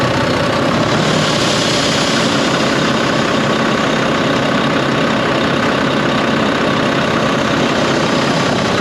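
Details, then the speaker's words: Volvo VNL D13 diesel at idle: loud, constant airy hiss over the idle. Intake air leak at a pipe joint with black soot, loose clamp and a damaged, crimped O-ring. "I went ahead and I buy the parts to fix the Volvo with the noise that I was explaining to you guys about the not the up and down surge, but it's an extra breeze or wind blowing from the engine, from the pipe, right?"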